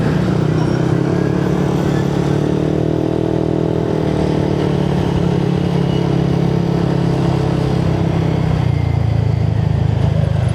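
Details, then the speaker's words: Yamaha NMAX with a 4S1M Street Core V3 exhaust, riding after the muffler was repacked with more fiber wool to cure a rattle: steady, full exhaust drone with no rattle or buzzing, sounding fuller than before; healthy exhaust note. "Wala na nga no. Saka yung kanyang tunog nabuo pa. Ang ganda ng tumunog."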